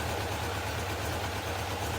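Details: Honda F2 750 four-cylinder motorcycle, stood damp over winter, after replacing the fouled spark plug: steady even idle with a smooth low pulse and no pops or stumbles; running cleanly on all cylinders.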